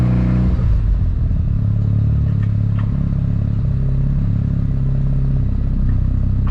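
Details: Mazda RX-7 FD rotary at warm idle after about 10 minutes of idling, temperatures steady at 70 degrees, no unusual smoke; smooth, steady low burble with an even, slightly choppy pulse and no knocks or rattles, a normal healthy warm idle.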